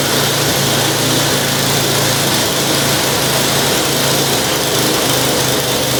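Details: Curb-found snow blower, single-cylinder engine, first start after priming with brake cleaner: holds a constant even beat with no stumbles or surging; runs normally, auger appears to work.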